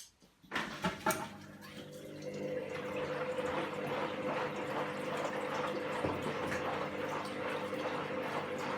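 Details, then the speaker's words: Candy GVS169D3/1-80 washing machine after motor-control triac replacement fixing error E09, rapid wash: water rushes and trickles into drum with gentle sloshing while pumping; normal fill and pump. "new triac let's see there's the water coming in it's pumping some"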